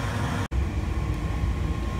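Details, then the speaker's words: Intellivent water heater draft inducer (vent) fan, checked by holding a candle at the fresh-air inlet; the fan sucked the flame out. Smooth, steady low whoosh and hum with no rattle or squeal after a brief dropout. Fan works normally. "when this fan unit turns on you will notice that plane in fact it sucked the flame right out that means this unit is working good like it should"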